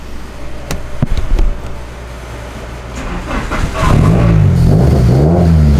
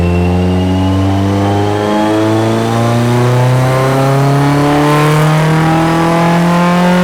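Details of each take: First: Car on a dyno pull after coil-pack dwell was cut from 3.5 to 1.9 in MegaSquirt: deep note swells and holds under full load with no stutter or cutting out; ignition break-up cured, 242 hp. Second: Car on dyno pull making about 212 hp, quickly made fuel map running very rich: engine pulls hard with rising tone, stumbling and breaking up partway; cause unknown, possibly excess fuel.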